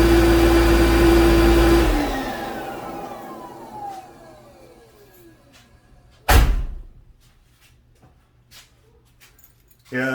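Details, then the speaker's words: Mercedes G500 G-Wagen, M113 V8, cold start with engine covers on, after fixing a crying/sighing noise first suspected as the power steering pump: loud vacuum-cleaner-like whoosh, then a falling whine as the secondary air pump winds down; normal. "cleaner sound is the air pump"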